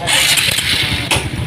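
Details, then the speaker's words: Honda Supra X 125 fuel-injected single-cylinder, noisy before, at idle and blips after cam chain replacement: an even, steady beat with a smooth tone and no tappety chatter or rattle, so the cam chain sounds quiet and healthy. Normal idle. "Sangat mantap, halus sekali. Halus, tidak ada suara kemrecek, betul-betul halus."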